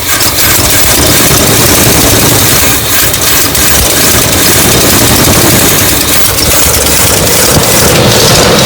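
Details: Classic Chevy ramp truck V8 on a charged battery and a little fuel, after a shorted wire that had killed the coil module: loud, steady rumble settling into an even idle without misses or stumbles; running properly.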